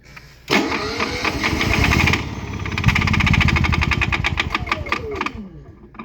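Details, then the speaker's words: Honda EU7000is fuel-injected generator with many hours, side covers open, oil over-full from suspected fuel contamination: fires and runs briefly with a clicking slap, then falters and dies; fuel pump and fuel starvation suspected. "now just m did it run longer that time there is quite a click man or a slap or something Eco throttle off Eco throttle on"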